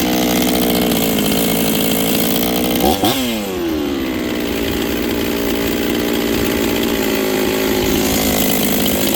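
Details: Rebuilt Husqvarna 266XP chainsaw with a new top end installed, on its first run with final carb settings not yet done. It runs high, then pitch sags on a blip and climbs back slowly, lazy off the bottom from the untuned carb.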